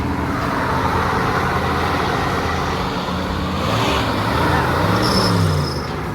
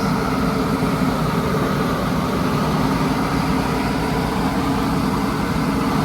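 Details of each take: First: 1983 Chevy V8 motorhome, sat about 10 years, running on nearly 10-year-old gas after battery charging: deep, even rumble holding steady with a slight rise in revs, no knocks or misses, exhaust smoking heavily; runs smoothly. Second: 1983 Chevy Holiday motorhome V8, sat 10 years, running on old gas: smooth steady drone at about 2,200 rpm idle with no hunting; idle too high, smoking.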